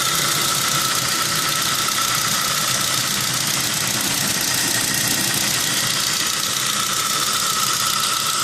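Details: Saab 9-3 petrol engine with over 190k idling with a fast, light ticking over a bright top end: bad hydraulic lifter tick, fixed with a bottle of motor flush.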